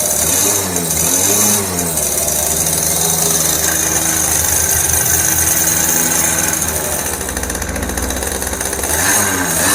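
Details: Yamaha F1ZR two-stroke just rebuilt (new conrod, crank bearings, crankcase) with carburetor installed, first run with doubled oil mix: crackles up on throttle blips and drops back to idle cleanly; revs smoothly.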